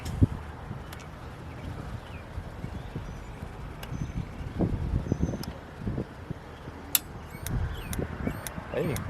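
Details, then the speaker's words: Older RV Dometic refrigerator with an external igniter: a run of sharp, regular clicks, a few per second, as it sparks without lighting. Air is still being purged from the gas line, and the burner may be dirty. "do it again cameron it's trying to ignite just got to get the air out y'all hear it ticking"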